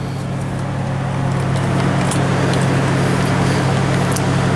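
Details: 1996 Toyota 4Runner V6 with 235k miles, fully warmed up, idling at about 1300 rpm with no codes; steady smooth drone too fast for warm idle.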